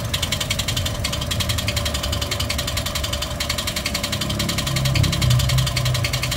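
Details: Toyota 1NR-FE engine with a noise problem: sharp, regular light ticking, about three or four a second, rides over the idle and follows engine speed, pointing to an upper-engine tick; cause unconfirmed, before teardown.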